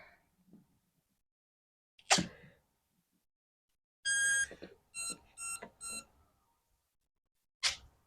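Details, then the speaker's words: RC sailplane (Conscendo) preflight check: quiet room, then one long high beep and three short at startup, smart battery warning because the battery is not charged. "Got a smart battery warning, yeah, because it's not charged."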